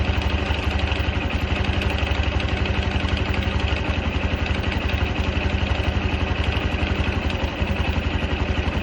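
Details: Honda Cub 110 JA44 small single at idle with steady dry clatter riding the exhaust beat about four a second; owner questions the rattle, source still unknown.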